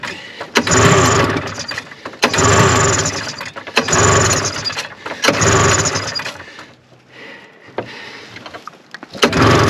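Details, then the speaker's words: 1974 Arctic Cat Lynx 340 fan-cooled snowmobile, sat outside five years, cold snow conditions, very old fuel, on choke: repeated pull-start bursts sputter and fade without catching; cranking no-start, trying to suck fuel. "i see it's trying to suck fuel the fuel is real old um seems like it wants to go so i'm going to keep juicing her and tugging on her"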